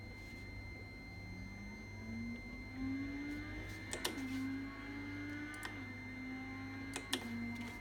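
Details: Fanatec ClubSport V2 wheel base, firmware and drivers updated, Windows 7 64-bit: strange steady high electronic beeping tone over a low hum and wavering motor-like whine.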